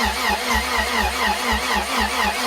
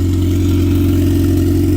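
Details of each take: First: Turbo B18-swapped Honda at first startup: steady starter cranking at about four to five beats a second that never fires, so it cranks but won't start; injector clicking is unclear and the exhaust smells of gas. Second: Turbo B18-swapped Honda running after first startup: low, even idle hum with no dips or hunting, so a steady, healthy idle; the fuel pump is noted as very loud.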